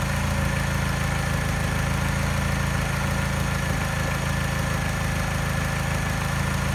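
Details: Mini with a faint mild tap, about four a second, at a low, slightly uneven idle that disappears above 1200 rpm. Slight miss not picked up by scanner, slight vibration coinciding with the tap. Persists after timing chain, tensioner and piston ring replacement; cause unknown.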